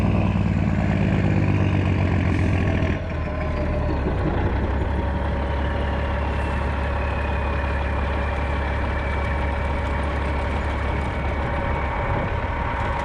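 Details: 1995 Western Star with Cat 3406E diesel after new 6-inch Grand Rock exhaust replaced the holed, sheared-flex-pipe system: deep, steady idle with even low rumble, no rattles, knocks or leaks; running healthy.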